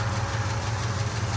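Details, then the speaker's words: V8 Travelall idle on a road trip: steady low idle with light, fast ticking of minor valve train noise, otherwise running fine; a small vacuum leak also noted. "we thought we might have needed a motor other than a little bit of valve train noise like it hurs okay life"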